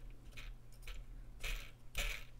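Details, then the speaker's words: Soundesign Model 3578 flip clock radio motor: steady low hum with faint irregular clinks; running rough and noisy, suspected bad gear inside the gearbox, possibly fixed by lubrication. "now the motor which is what the noise the racket is [Music] so you can hear that now"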